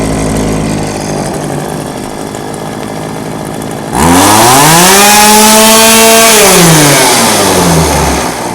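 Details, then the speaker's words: Old two-stroke chainsaw unused about five years, warmed up, no choke: fast busy idle then a sharp rev rising and falling; idle set too high, chain starting to creep, needs turning down. "see how the chain is starting to move a little bit the idle's too high see how the chain is just barely wanting to move a little bit"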